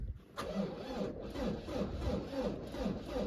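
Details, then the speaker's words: Jaguar XE with no-crank/no-start complaint, battery at 11.8 volts: slow, laboured, uneven cranking at two to three strokes a second that never catches; battery dead, booster pack needed. "Battery is dead. So, we need booster pack back on again."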